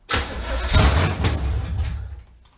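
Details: 1971 Camaro, sat 9 years, with a known-good carburetor and fuel up to the pump, cranked briefly off the ground: about two seconds of low churning starter rumble without catching; cranks but won't fire, owner thinks it needs more fuel.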